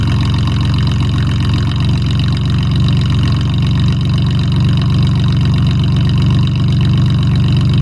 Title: Mustang V6 with duals and an exhaust leak. Cold start. 240,000 miles.